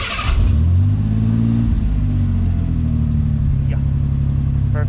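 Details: Ford Ranger after a melted distributor rotor repair (coil getting too much power), oil pressure primed before start: catches quickly and settles into a smooth, steady idle at 50 psi oil pressure; normal start.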